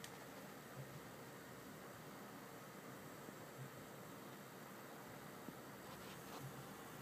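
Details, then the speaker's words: Asus DirectCU II Top GTX 670 under load running the Heaven benchmark at 1080p, with the case fans turned down: only a faint, even fan hiss, no rattle, and a very slight coil whine; the cooler is quiet and healthy. "As you can see, it is completely silent. There is an absolutely tiny bit of coil whine, but nothing compared to my GTX 580."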